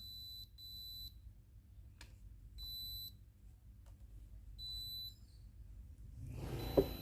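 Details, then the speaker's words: Philips GC7703 steam iron with a no-steam complaint, soleplate heating normally: orange light blinks with beeps every two seconds, then after holding the orange button 3 s for calc-clean the pump hums but no steam comes out; pump suspected. "ทำการเปิดเครื่องนะครับมีไฟสีส้มนะครับกระพริบนะครับได้ยินเสียงน้ปิ๊ดๆนะครับ"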